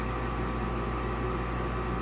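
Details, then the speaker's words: Olsen Ultra Max HDS 90 furnace with a new inducer motor, running while the heat exchanger warms toward the fan limit setting of about 120-125 degrees: steady, even low hum and airy rush, no knocks; normal running. "once it gets up to that temperature the fan will kick on to the rest of the house"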